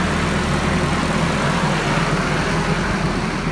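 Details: Nissan KA24DE engine that had a starter-click no-start, now starting after a new ignition switch was fitted. Steady, even idle with a smooth low rumble and no misses or knocks; it starts and settles cleanly, sounds healthy.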